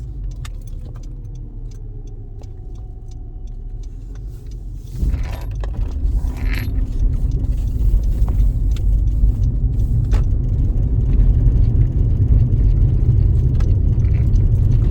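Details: 2013 Honda Civic (9th gen) at idle makes a light, quick ticking, about three or four a second, over a low rumble, only when in drive; some suggest an electrical issue, cause unconfirmed.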